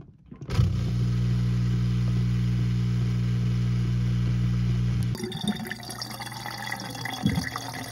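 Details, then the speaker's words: Whirlpool dishwasher WDF320PADS2 after fixing a no-drain fault (pump removed and checked for obstructions), drain test: steady low pump hum about four seconds with water gurgling, then stops; drain pump working normally, water cleared. "sounds good looks good i'm gonna check looks like you got all the water out now there's just barely any water at all in there"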